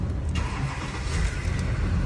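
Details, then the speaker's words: 2006 GMC Duramax LBZ diesel, after repairing spliced wiring for a no-crank/no-start with lost ECM communication (U0100): cranks and catches straight away, smooth even idle; fixed. "fire's right up now no issues"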